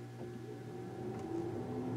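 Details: 2015 Chevrolet Cruze 1.4 turbo with overheating complaint: loud, steady cooling fan roar at constant pitch with no low-speed stage, consistent with a dead low-speed circuit leaving only high speed; overheating cause not yet determined.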